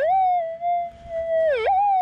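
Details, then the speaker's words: Minelab GPX 5000 metal detector in Deep switch factory presets: threshold slightly unsteady and grainy, then a wide smeared target response that could be mistaken for an EMI spike or ground noise; broad target signal. "so you can hear it's a little bit little bit unsteady little monie and grainy and you can hear that target sounds totally different now it's very broad"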